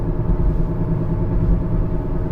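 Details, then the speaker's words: 2015 Kia Sorento 2.4 on a test drive, also showing a P0011 camshaft timing over-advanced code: a steady low growl rolling under the car, a front left wheel bearing noise that changes with steering. "i do hear a wheel bearing noise sounds like front left yeah that's a wheel bearing noise"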